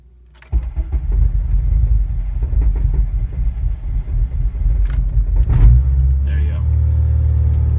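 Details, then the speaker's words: Honda Civic (8th/9th gen) running E85, cold start after sitting 12 hours: starter cranks about five seconds, about two cranks, before the engine catches and settles to a steady idle; a hard cold start on E85. "so it takes about two cranks for your car to turn"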